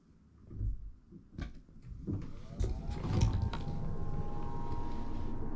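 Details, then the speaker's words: Dometic Brisk II RV rooftop air conditioner after replacing start/run capacitor: a few clicks and bumps, then spins up with rising hum to smooth steady run; normal start. "so let's try to start the air conditioner and just see what sounds"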